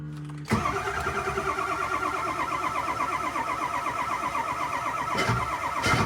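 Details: Ford 7.3 Powerstroke diesel truck, first true cold start after a self-done engine swap and alternator change, wait-to-start light blinking; brief crank catches after half a second into steady even diesel clatter at idle; normal cold start.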